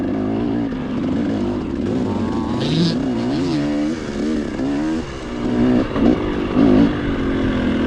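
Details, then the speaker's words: XTNG Gen3 Pro carburetor that won't tune despite many settings; engine blubbers and stutters at low speed, loading up instead of pulling clean, then crackles as it revs: rich-running carburetor. "But when you go slow, it's like it's loading up."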